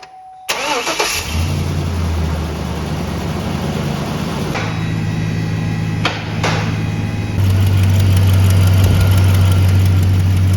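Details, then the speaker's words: 2003 GMC 5.3 V8 cold start: sharp, rapid tapping over a fast idle, louder on the driver's side and quieter as it warms; exhaust manifold leak from a broken/missing manifold bolt, possibly a cracked manifold. "The one on the driver's side is actually more pronounced. As we warm up, you can hear it getting quieter."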